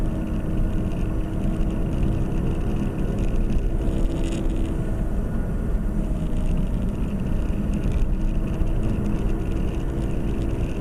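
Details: 2010 Nissan Qashqai, CVT, front-wheel drive, while driving. A steady low droning hum rides under the road noise and holds its pitch with road speed, from a worn right front wheel hub bearing.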